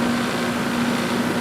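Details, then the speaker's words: 240 V outdoor AC unit after new capacitor fitted, started by pushing in the contactor to bypass the thermostat: even hum, steady mid-pitched tone, no rattle or stutter; fan running at proper speed, normal. "So you see, we can start the system, and my fan is running about the speed that it should be running, it sounds like."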